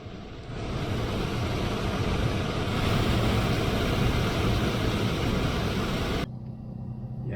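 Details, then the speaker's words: Volvo 745 heater blower motor after servicing with tightened shaft: steady, even whir with no squeal or rattle, then switches off; much smoother and quieter than before. "Smooth enough, much nicer, much smoother, much quieter."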